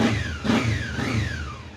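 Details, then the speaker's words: £100 Honda four-cylinder motorcycle after new air and oil filters and fresh oil: blipped twice, revs rising and falling cleanly then settling smoothly, no misses or knocks, ticking over lovely; normal idle. "Ticks over lovely. I'm very very very pleased."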